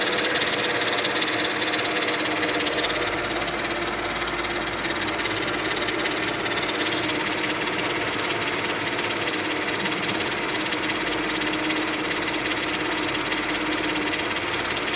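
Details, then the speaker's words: 2000 Mercedes-Benz E320 wagon idling with a busy, uneven chattering rattle from one side low in the engine bay, plus stiff steering; owner suspects the power steering pump, though there is no whining or grinding; cause unconfirmed. "coming from this side right down here right down there hope somebody can help me out with this because i never heard that sound before"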